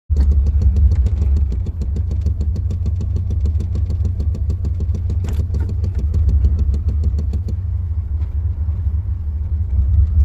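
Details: 1993 Chevrolet C1500 with code 54: rough, choppy idle stutter that stalls, with sensors already ruled out. The pulled spark plugs were worn and debris came from the fuel filter.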